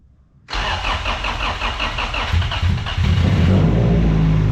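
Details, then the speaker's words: Car not run for 2 years, after a wiring harness repair, fuel pump now on: cranks briefly, catches cleanly and settles into a strong, steady, even idle with no misses; oil pressure 50 psi, fuel pressure 87 psi after start. "guys he runs oh man that's like music"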